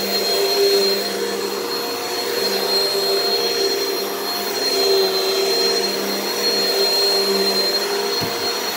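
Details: Repaired Hoover vacuum, the cheapest of a saved lot, running after repair: a smooth, steady high-pitched motor whine with even airflow rush and no rattles or grinding. Normal, healthy running.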